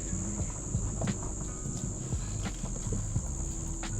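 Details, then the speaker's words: Ford Falcon on a before-repair test drive: dull, uneven knocks and booms from the front left over bumps against steady road hum. The suspension is very bouncy and the worn strut top mounts are knocking. "Oh, man, you can feel those strut tops making a bunch of noise. Can you hear that? Knock. Knock. Knock. Knock."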